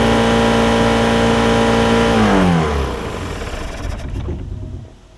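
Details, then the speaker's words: Mercruiser 3.0 in a Stingray boat, sat 9 years, new fuel pump and carburetor, on muffs: steady fast speed around 3,500 rpm, well above idle, before winding down; throttle sticking open from a rusted, displaced collar. "sounds like it's running like 3 500 rpm so that's a little bit too high let me work on it a little bit more here guys oh yeah no runs good the um the throttle was getting stuck because there was a collar in here"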